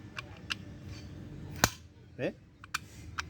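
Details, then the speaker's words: VW Gol Trend/Suran/Voyage 1.6 8v: engine off, the throttle plate snaps shut with one sharp hard tac, a knock from a damaged internal gear in the throttle body; the car won't accelerate past 2000 rpm, loses power, shows EPC and check-engine lights. "la falla es que el auto no acelera y aparece el epc en el tablero y el checkin obviamente Qué hace no acelera pierde fuerza y hace un ruido extraño en la mariposa"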